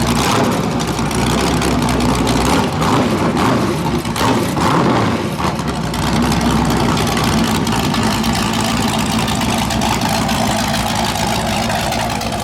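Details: 408 LS stroker V8 on first start after build: loud idle with a choppy, uneven loping beat after a brief blip; normal big-cam idle, running fine; air-fuel around 13.3, possibly a touch lean.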